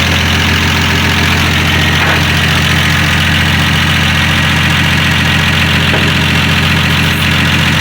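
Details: Cold start of a 1965 Dodge Dart's 225 cid Slant6 on about 6–7 ft of straight pipe, no muffler yet, on a mild winter day: deep, steady, even idle with a smooth regular pulse and no knocks or misses, a normal healthy idle.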